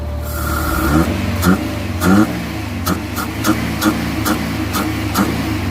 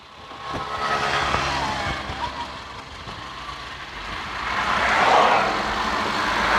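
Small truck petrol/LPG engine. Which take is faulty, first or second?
first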